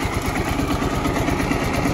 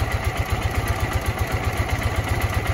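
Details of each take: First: Ural motorcycle twin-cylinder engine (new, low mileage) idling with a steady thump and light quick valve ticking; runs slightly noisier, valves could be adjusted, gear whine possibly audible. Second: New Ural twin-cylinder motorcycle idling with low, even thumping about four beats a second, running well; owner notes it is slightly noisier than the other, with gear noise in the gearbox and ticking valves.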